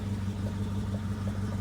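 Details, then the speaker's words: 1966 Ford Mustang convertible V8, cold start before test drive after topping off differential: steady even low rumble, smooth unbroken beat, no knocks or misses; normal cold start idle. "all right beautiful cold start going to let her idle"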